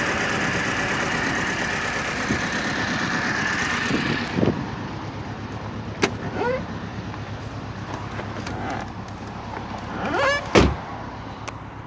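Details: R53 MINI Cooper S supercharged engine idling unevenly with a stumbling beat from a cylinder 1 misfire; zero compression on cylinder 1, with a slack timing chain and a broken guide rail found under the valve cover.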